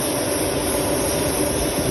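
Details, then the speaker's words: Volvo leaking coolant on the way to its MOT: loud, steady pressurised hiss of coolant spraying from a cracked hose over a faint engine rumble, then it cuts off; the coolant tank is being replaced. "And you can see that it's cracked on the hose just there."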